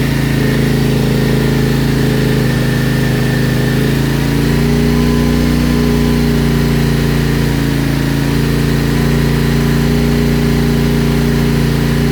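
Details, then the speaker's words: CFMOTO Ibex 450, warm, idling after TEAM MSC ECU tune meant to fix surging and jerking between 3500 and 5500 rpm: steady single-cylinder idle, even beat with no surging or hunting; sounds smoother, though tach still bounces slightly. "It does seem a little smoother. I mean, it looks like it's bouncing around on the tack a little more or a little bit still, but it definitely sounds a lot more uh sounds like it's not bouncing around near as bad."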